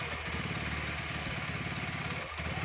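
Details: TVS Apache RTR 4V 160 (BS6), which had a tappet/rocker noise problem: even single-cylinder idle with regular firing pulses and no top-end ticking, now sounding different from before and normal.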